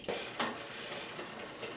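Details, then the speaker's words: Bicycle rear derailleur with too much cable tension from the barrel adjuster, on the second cog, pulley sitting too far in: quick uneven clicking and ticking as the chain tries to shift itself; chatter from excess cable tension. "we go all the way down focus on that noise a second it is a noise but if we look the pulley is now actually too far in"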